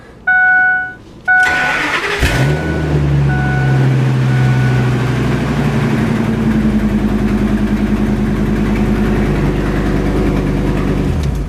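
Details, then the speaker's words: 2003 Ford F250 V10, towed in as a no-start caused by a fuel pump ground voltage drop. A jumper ground lets it start after cranking, then it settles into a loud, raspy idle with a steady drone from an exhaust leak. "And this one does have an exhaust leak, so it will be loud."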